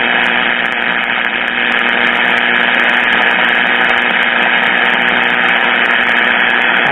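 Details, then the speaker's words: RCA 14BT1 battery-operated tube radio after repair, receiving AM in daytime: steady hiss and buzz with faint hum swamp a weak distant station (670) that is barely audible; interference noise, source not identified. "that 670 just barely there the other one it's hard to get but with all the noise it's kind of hard to kick it out"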